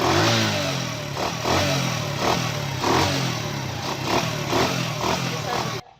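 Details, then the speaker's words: United 70cc motorcycle revving: a raw, hissing intake roar swells with each throttle blip over the exhaust; the mechanic suspected a cut filter boot, likely damaged when a filter was fitted. "या इसका filter जो है पीछे से filter लोटा वो काटा हुआ है, या फिर इसका बूट जो है वो कहीं से फटा हुआ है। किसी ने इसका फिल्टर डाला है, फिल्टर डालने से इसका लोटा फटा है।"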